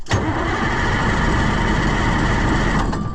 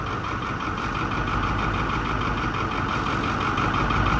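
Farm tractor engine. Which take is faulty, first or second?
first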